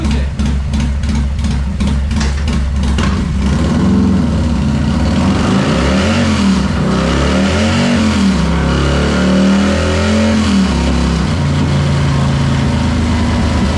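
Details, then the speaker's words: Harley M8 with an S&S 475 bolt-in cam, Two Brothers 2-into-1 exhaust and timing tune, idling on the dyno: loping, uneven, aggressive V-twin idle with a few sharp blips. A normal lumpy cammed idle, no longer sewing-machine-like. "As you guys will hear, this thing has a nasty mean idle. Um anybody who owns an M8, you know, they sound like a sewing machine until you do at least the cam and then it starts sounding like a Harley again."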